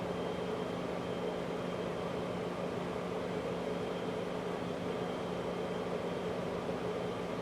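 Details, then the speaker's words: 2003 Chrysler Crossfire 3.2 V6 with fault codes P0106, P0410 and P0151, just after starting: quiet, steady whirring drone under the idle as a pump draws in air, later winding down; secondary air pump running. "i see a pump going on it's drawing in"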